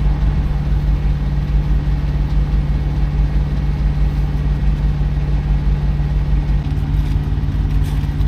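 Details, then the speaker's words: Diesel truck restarted after fuel priming trouble: deep diesel thrum with an uneven, lumpy pulse about one and a half per second; runs rough, cause unknown. "oh we got it running but it runs rough something is"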